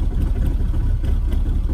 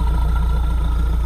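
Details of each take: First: Mahindra Roxor diesel, about 21 hours and 96.3 miles, first start after polar-vortex outdoor storage at about -5°F, standard battery: started right up, then deep lumpy, uneven idle with some stumble; rough from sitting. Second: Mahindra Roxor diesel after warming up from a cold start at about -5°F following polar-vortex storage: deep, steady idle with even low pulses and no knocking; now running smoothly with reduced smoke.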